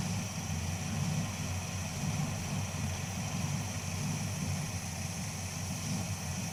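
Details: Deep V8 idle with an uneven, lumpy low beat and occasional stumbles: misfire has returned just after an oil change (a tick heard at start-up faded once oil circulated); cause not yet known.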